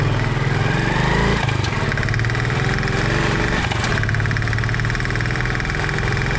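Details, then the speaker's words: CD 70 motorcycle running on petrol transferred from a brother's bike: knocking began after about 3 km and grew louder. Steady putting with a sharp metallic rattle on each beat, blamed on low-octane, weak fuel from one station. "So gas आप लोगों ने अभी देखा है की मेरे CD 70 से भी वही आवाज ए रही है जो की मेरे भाई भी आर से ए रही थी"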